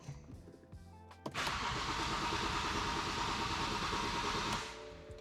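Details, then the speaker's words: BMW 335i with single turbo conversion, 950cc injectors, dual 450 Walbro pumps: steady starter churn for about three seconds that never fires. Low-pressure fuel reads about 3 instead of 80 PSI; owner suspects a fuel line in the tank. "Nothing. And the reason for that not turning on that's the the fuel pressure from the low pressure fuel pumps before it gets to the high pressure fuel pump."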